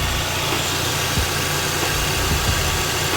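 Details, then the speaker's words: 131k-mile Mazda RX-8 R3 rotary, hot, idling after intake work. It starts much better now, and the earlier noise is gone. Smooth, steady busy buzz with no odd noises; sounds healthy. "Yeah, I'm not hearing that noise anymore."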